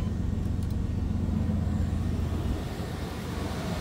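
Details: Engine running after a jump start from a FEATOU jump starter on the second attempt: steady, even low rumble with no knocks or misses; runs smoothly.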